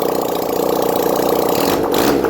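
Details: 1971 Honda CD175 K3 twin being restored, first start after wiring issue fixed: even, quick pulse holding steady, then a brief throttle blip, running cleanly on both cylinders; normal running.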